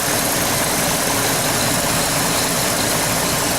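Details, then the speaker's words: Chevrolet Trailblazer after repairs, AC on with compressor clutch engaged: even, steady idle holding without dip or stall; no longer dying at idle. "can. You can see the AC clutch is engaged. It's not dying no more."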